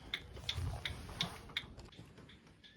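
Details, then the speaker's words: 1965 Ford Econoline van stored since 2011, key on with kill switch on: crisp, even clicks about three per second for five beats, then quiet; turn signal flasher relay cycling properly. "ah it's a turn signal oh I gotta show you that I mean come on can't believe the turn Signal's working here you go"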